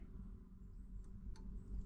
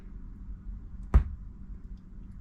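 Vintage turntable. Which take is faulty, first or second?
second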